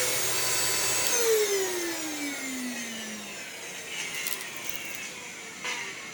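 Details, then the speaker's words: Bagless Eureka Ultima upright vacuum from a thrift store: motor whine with falling pitch and a sandy crunch like sand in the motor, brush roll not spinning, lever failed, burning smell; seized brush roll and gritty motor. "oh that sounds bad oh and i hear crunchies almost like there's sand in the motor and the levers failed wow and the brush roll doesn't spin oh goodness oh the brush will seize and there's a burning smell"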